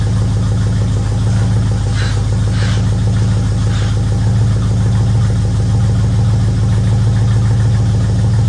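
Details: 1964 Ford Fairlane Thunderbolt clone V8 at idle while two-speed automatic is shifted through reverse, neutral, low, second and drive, transmission fluid low, no coolant, warming up; steady even rumble, no knocks or misses, slight lifter noise per owner.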